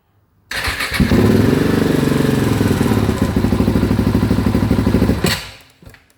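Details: Rally-prepared KTM 690 single: starts with a thump, runs a few seconds with an uneven, sagging beat, then stalls. It runs badly and almost misfires below 3,000 rpm; cause unknown.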